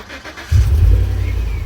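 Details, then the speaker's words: 2010 GMC Savana with a crank-no-start, fixed by bypassing the wiring harness from the relay after the ECM. Brief cranking, then it catches cleanly into a steady, even idle; normal start. "there we go vehicle now starts I have nothing else plugged in except for that"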